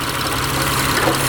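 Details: Mitsubishi Eclipse 6G75 V6 after rebuild with new timing belt, starting to warm up: steady, even idle hum with no tapping or misses; engine sounds healthy.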